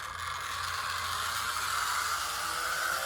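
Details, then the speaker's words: Vintage DC HO-scale 0-4-0 model locomotive (RSO), with a motor drive rather than a rubber-band drive, runs with a very loud, busy whirring gear chatter and steady high buzz; noisy but a good runner. "now we have an 040 I think this one is a tao no this is an RSO RSO a really Splendid operator very loud"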